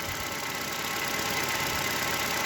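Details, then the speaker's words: Chevrolet Cobalt 1.5 B15D2 engine, just started cold after replacing the failed tensioner and idler rollers and belts that caused loud knocking and rattling; steady even idle, no knocking, rattling or belt squeal: normal idle. "вроде пока нету никаких звуков Сейчас прогреется посмотрю послушаю потом включусь вроде тишина пока"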